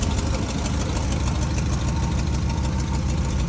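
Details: 1957 GMC 370 2-ton truck, original Pontiac 347 V8, revived after 20 years sitting, idling on its own tank: rough, lumpy idle with a fast puffing tick, about three a second; exhaust leak from the blown exhaust donut.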